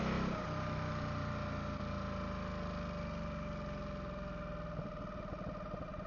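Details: Ducati Supersport 939 coasting in gear with clutch engaged, after a 2nd-gear shift: thin steady whine above the engine note that disappears when the clutch is pulled; briefly vanished after topping up oil. Owner suspects dry clutch seal ring; unconfirmed.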